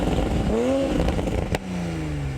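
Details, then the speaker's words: 2020 Toyota/BMW Supra A90 on the stock factory exhaust, about 70°F outside: engine revs then lifts off with sharp pops, crackles and a soft burble as it settles; normal stock exhaust behaviour. "As you can see, the nice burbles and nice crackles on there, straight from the factory. It's awesome."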